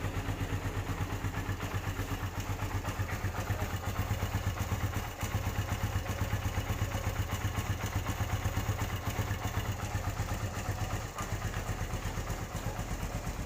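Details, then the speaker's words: 2013 Suzuki Satria FU 150, used bike about seven years old: steady single-cylinder idle with a light, even tick about four times a second, the tick typical of this model; engine otherwise quiet. Normal idle. "Hai menurut saya motor ini cukup lumayan bagus ya dari segi mesin masih Hai suaranya nggak berisik"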